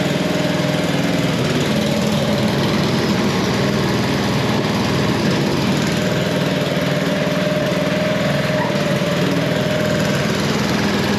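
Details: Snow blower after belt replacement for an auger that would not spin, tested with the shroud off: the small engine runs at a steady, even pitch with no hunting or misfire; it sounds healthy.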